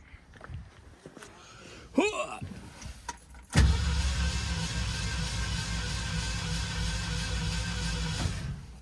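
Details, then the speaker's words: 1969 Mercury Cougar XR7 convertible V8 compression test, cylinder 4: after a window whirr the starter cranks with a low churning drone and an off-sounding beat; reads only 59-60 psi, suspected cylinder fault, not confirmed. "That sounded different. Or either... Try. Oh, you know what? What? Or you lose? Try it again."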